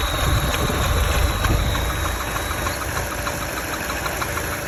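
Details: Opel Meriva B engine idling: a fast, light clacking rattle repeats evenly over a steady idle; internal engine clatter, cause unknown.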